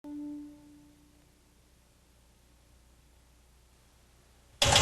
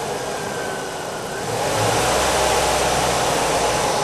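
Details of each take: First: got a bad noise joe yep yep i think i got a bad lifter that sounds like more than one i'm gonna put in a whole new set Second: Engine warm from running, started to check oil pressure (spec 40–60 psi at 2000 rpm hot), found within specification: catches, builds briefly, then steady even run with no knocking or ticking; normal start and run.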